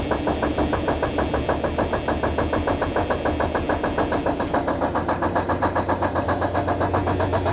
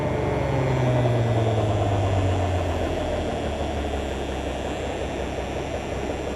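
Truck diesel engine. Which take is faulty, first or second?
first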